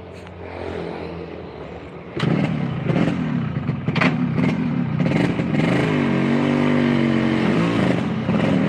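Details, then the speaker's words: Yamaha RX King two-stroke on a road test up a hill on the stock exhaust, after an engine fix: revs climb and hold high under throttle but the bike doesn't pull harder; clutch slipping. "koplingnya selip ada masalah di kopling teman-teman"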